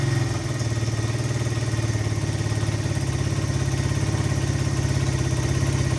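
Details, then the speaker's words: 1985 Honda XR100 small single, after fixing no-spark issue and carburetor patch: even, steady idle thump with no cam chain slap or valve chatter, no smoke; normal idle. "Look at that, she idles nice too. Engine's quiet. I don't hear any excessive cam chain slap or anything. The valves aren't chattering. Sounds like your normal XR motor."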